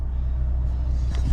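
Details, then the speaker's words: 2011-2016 Scion tC idling after replacing all four spark plugs: low, even, smooth rumble with no shudder or rpm dips, where before the idle vibrated as rpm dropped; revs now smoother too. Normal idle. "Right now it runs a lot smoother, and when you give it gas too, the revs are a lot smoother."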